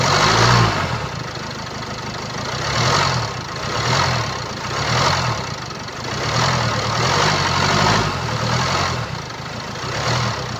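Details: 2017 Land Rover Discovery V TD4, 2.0 diesel (R4/2.0TD4, 132 kW), 109,695 km: rough idle rattle that rises and falls every couple of seconds, from a stretched timing chain, which can cause uneven running.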